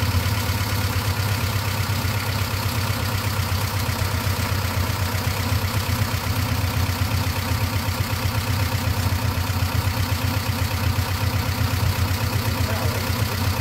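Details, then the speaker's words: 1995 Plymouth Neon at idle, clattering heavily from the valvetrain; oil pressure seems good (about 40 psi cold at idle); owner suspects plugged oil passages keeping the rockers from pumping up, before trying a motor flush. "so that way you can hear the amount of noise that's coming out of this thing it's clattering quite a bit"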